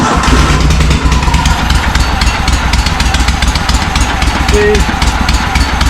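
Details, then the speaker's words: John Deere M665 zero-turn mower, intake box and air filter removed: loud, uneven twin-cylinder idle that runs on one cylinder, intermittently on both; owner first suspects a bad left exhaust gasket; misfire from an intake air leak at the loose carburetor mounting. "this thing's making kind of some funny noises when it's running. Kind of sounds like it's running on one cylinder, but intermittently on both."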